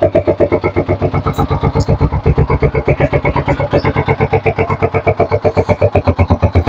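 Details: Vperman 150 motorcycle started after cleaning and reinstalling the air suction valve (secondary air supply): even, steady putter at about four beats a second, no misses or rattles; small single idles cleanly and healthily.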